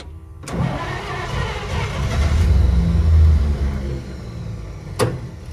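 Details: 1953 Pontiac Chieftain in freezing temperatures: cranks, catches and builds to a rough uneven run, then sags and dies; won't keep running. Owner suspects the cold. Cause not confirmed.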